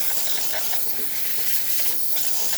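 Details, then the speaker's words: Breville Barista Express after a full service, thermal block up to temperature: a strong, steady hiss of steam from the wand, even throughout with no sputter or pulsing. Good pressure, normal steam output. "Nice steam coming out through the hot water to the one, to the steam one. Excellent pressure."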